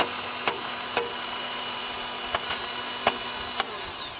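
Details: 1997 Acura CL starter motor runs on with the key out, a steady high electric whirr. It stops only when the battery cable is disconnected, or sometimes when the starter is tapped with metal; here it winds down after the taps.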